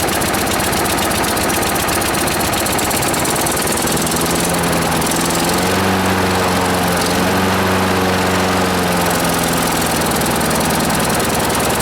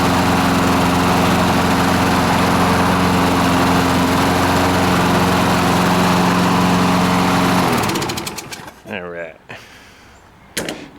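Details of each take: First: Free lawnmower, running on its cleaned carburetor with choke on: single-cylinder putter sags and bogs, won't rev up; owner suspects debris jamming the governor under the shroud. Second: Free small single-cylinder lawnmower engine after blowing debris off the governor and refitting the shrouds: steady, even drone held at constant governed speed for about eight seconds before shutdown; normal running.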